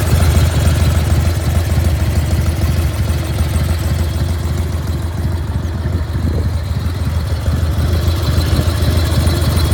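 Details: 1995 Harley-Davidson Bad Boy FXSTSB Evo V-twin idling with deep uneven lope and a faint repeating knock on top; source of the strange noise unidentified.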